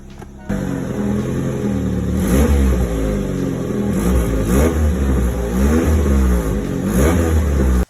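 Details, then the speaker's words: Petrol car revving up and down with a loud, raspy, blatting exhaust from a large crack almost all the way around the exhaust pipe at the welds, caused by a cracked rubber hanger; fixed by welding. "after looking under the car it became pretty obvious where the exhaust leak was there's a notable large crack almost all the way around the exhaust pipe"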